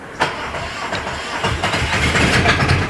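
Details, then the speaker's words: Aixam Crossover microcar started after its variator (gearbox side) and accelerator cable were replaced with an aftermarket variator; it catches and settles into an even chugging idle, and the earlier noise is gone. "donc on a changé du coup le variateur et le câble d'accélérateur et le bruit a disparu"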